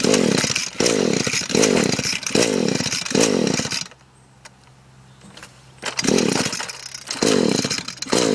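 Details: Echo SRM-210 on fresh two-stroke mix; rasping pull-cord strokes about once a second, in sets, and it never fires, so it cranks but won't start. It previously started only with WD-40, the plug comes out wet, compression is about 150 and the stop leads were checked.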